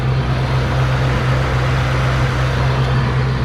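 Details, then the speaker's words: Mustang Cobra running rich with rough idle and fuel smoke: steady low idle drone with slightly uneven pulse about four times a second; vacuum leak, PCV inlet whistling and sucked flat, crankcase not venting properly. "Second thing we have a pretty good vacuum leak there. That is our PCV inlet and it's whistling pretty good. and it is also sucked flat."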